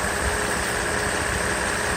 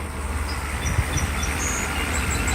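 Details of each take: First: Mercedes SL600 V12 at idle on the car after a full overhaul of its previously badly repaired throttle body (ASR problem): internals moved to a case with clutch coil, motor brushes, wiring, connector and throttle-plate shaft bolt redone; smooth, steady idle, runs nice; normal idle. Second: Mercedes SL600 V12 just after refitting an overhauled throttle body for an ASR fault, warmed up a little: a low, uneven, lumpy idle. Owner attributes the fluctuation to known intake vacuum leaks, not the throttle.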